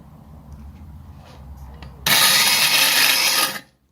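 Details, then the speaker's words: Jeep Cherokee valve seat cut on a 1940s Black and Decker valve grinder in vibrocentric mode under heavier pressure: a loud, high, gritty grinding holds steady about a second and a half, then stops; normal seat cutting. "i'll do the vibrating vibrocentric cutting first you can hear it's kind of a little bit noisier"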